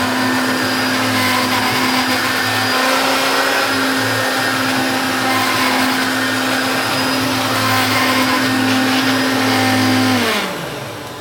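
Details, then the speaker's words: Hoover Turbopower hard-bag vacuum cleaner (1980s–90s, U2194/U2718 range) started in normal mode, its headlight not working despite a good bulb: smooth, steady motor hum at an even pitch, then a clean wind-down; it runs normally. "so the headlight doesn't work. So we'll start it off in normal mode."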